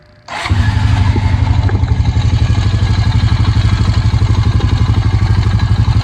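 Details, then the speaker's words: 2004 Honda Rancher 350 single-cylinder ATV starts and idles with a light metallic rattle over its thumping beat: valve chatter from sloppy valve clearance, needing a valve adjustment. "I don't know if y'all could hear that rattle, rattle, rattle. That was going on when it was running, but that is what we like to call a valve chatter."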